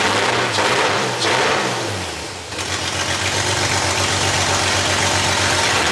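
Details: 2JZ-swapped 240SX on first start, with no exhaust, no O2 sensor, the wrong ECU and MAF, and the fuel pressure regulator just adjusted; a vacuum leak is suspected. Revs surge and sag, then settle into a lumpy, uneven idle.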